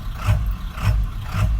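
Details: 1997 Ford F350 7.3 Power Stroke diesel, about 99,573 miles, idling: heavy idle swelling and dipping about twice a second, rough hunting idle; normal in neutral, traced to bad neutral safety switch on transmission side.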